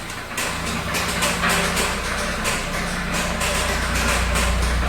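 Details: VW Santana AP 1.8 engine, oil level ok, new oil and filter, no smoke; oil pump, hydraulic lifters replaced, timing and camshaft checked yet noise persists: loud, even knocking about four a second over rough idle; connecting rod play suspected, unconfirmed.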